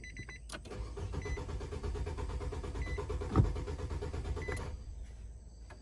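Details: 2018 Nissan Sentra 1.8, about 35,000 miles, cranking with cam and coolant temperature sensors unplugged for testing; starter churns steadily about four seconds with no catch. Crank no start; ECM coil control suspected.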